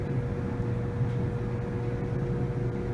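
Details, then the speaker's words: Samsung dryer DV45H7000GW/A2 after squeak repair with replacement kit, reassembled and running: smooth, even low drum rumble with faint steady hum, no squealing; normal running. "we're gonna turn it on just as let's hear how it sounds no squealing feels very smooth"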